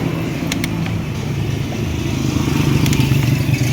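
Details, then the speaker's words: Kawasaki KMX two-stroke, test-run after mechanical seal repair and water pump impeller refit: firm, even low drone building slightly when revved, a couple of small clicks; plastic gear behind unaffected, impeller turning, runs healthy. "Ibig sabihin yung gear na plastic sa likod hindi naapektuhan sa pag-impact natin. Ikot siya, magana na. Magana naman talaga."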